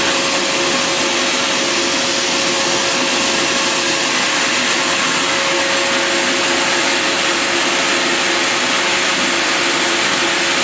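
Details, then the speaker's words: Bissell Garage Pro wet/dry vacuum and blower, vacuum side switched on with hose attachment: steady loud rushing whoosh with even motor hum, strong suction, no surging or rattles — normal running. "Now the suction on this baby is awesome. You don't have to worry about that. It is definitely strong."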